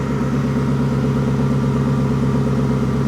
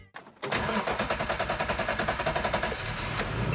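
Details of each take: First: 1954 Ford F600 cab on 1995 Toyota Coaster bus chassis, idling: one exhaust bank rough and uneven with dropouts versus smooth faster other bank; owner suspects missing cylinder on that bank, planning to check coil packs. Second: Engine after replacing a faulty coil pack with a new one: short crank, catches and settles into a steady, even exhaust beat with no stumble; healthy idle after repair.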